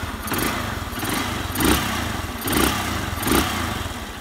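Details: Honda Bros motorcycle, single-cylinder engine freshly rebuilt with new cylinder sleeve kit, valves, gaskets and oil after smoking and leaking oil: blipped from idle, revs climb and fall cleanly with even firing; healthy running.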